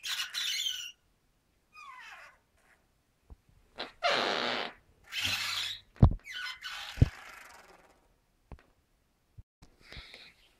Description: Weird noise coming from 20mm Specialized Hi Lo hub. Seal O-rings need grease.